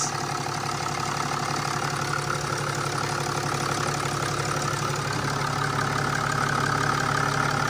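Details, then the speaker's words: Mercedes E320 CDI turbo diesel idling, running with no leaks: even, steady diesel clatter with no misses or knocks; engine settled and running properly. "there she is she is running with no leaks that's awesome that's a job well done"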